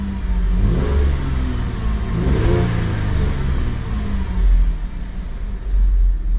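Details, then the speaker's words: 2010 Holden Commodore VE SV6 wagon, 3.6 SIDI V6, after fuel injector replacement and fitting the correct new coil: fires straight up, revs cleanly and settles, even note, no misfire; timing chain noise still awaits repair. "and see how she fires up straight away boom boom and yeah all good"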